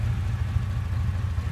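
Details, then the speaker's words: 1989 Chevrolet S10 Tahoe test drive after installing a new 700R-4 transmission: smooth, even low drivetrain drone, no whine, clunk or grind; old transmission, suspected internally damaged case, always made an awful noise; now sounds like a new truck, no leaks. "it always made an awful sound but now now it sounds like driving a new truck"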